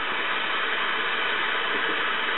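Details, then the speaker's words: 1969 GE C4410A solid-state AM clock radio, flea-market find: flat steady hiss varying with volume, no stations; audio stage works, but converter transistor's 1.5k emitter resistor drifted above 9k, killing reception. "but no stations so it doesn't work well good cuz it wouldn't be any fun if it actually worked"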